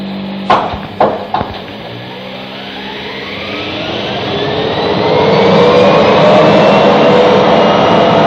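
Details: Real BR Class 74 electro-diesel departing Eastleigh on electric power, 1974 recording: loud clunks, then whine climbing steadily in pitch as booster set spins up before loco moves off. Booster start-up.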